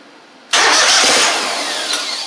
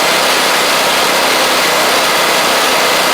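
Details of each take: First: Gravely 260Z zero-turn with Kohler twin: starter catches and the engine runs steadily while the key is held in start, then dies as the key returns to on; DSAI module and ignition coils suspected. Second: Gravely 260Z zero-turn mower with a Kohler engine, after eliminating the DSAI module and swapping ignition coils, running and driving; steady, even engine drone with no misses or surging; engine smokes a little and is heavily used; runs properly.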